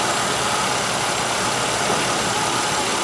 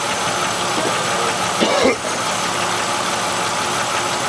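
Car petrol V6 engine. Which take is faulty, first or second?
second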